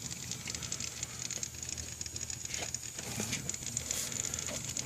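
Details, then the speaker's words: Mazda RX-7 rotary, hot after running with idle hunting between 1,000 and 2,000 rpm during a vacuum-leak search, just shut off: steady hissing sizzle with fine crackles, suspected near a heater hose. Cause not confirmed. "i killed it here you hear the sizzling noise yeah there it is again where the [ __ ] it's coming from sounds like right in this area"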